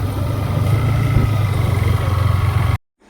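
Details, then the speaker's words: Yamaha MT-15 after rocker (valve clearance) adjustment, during test ride: steady low single-cylinder thrum with no ticking, smooth until cut off; valvetrain ticking resolved. "Sound सुन के तो अच्छा ही लग रहा है। पहले से ठीक लग रहा है। साउंड तो अभी ठीक लग रहा है।"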